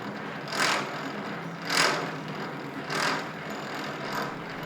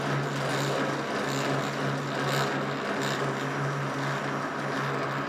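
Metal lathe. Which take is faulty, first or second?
first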